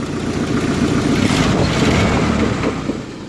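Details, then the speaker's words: 1995 Jeep YJ Wrangler engine revving and settling: light rapid ticking puffing through exhaust note, with belt squeal; suspected exhaust manifold leak, typical for these engines. "manifold leak which is typical for these jeeps for the inline sexes and the four cylinders it's typical for them to have a manifold leak"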